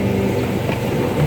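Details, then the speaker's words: Yamaha Mio J bored up to 155cc: small single-cylinder putters with wavering beat and uneven level, won't hold idle; ISC setting (3 mm gap) to be adjusted; unstable idle. "Cuma di sini ada trouble di langsamnya guys. Di langsamnya ternyata tidak bisa."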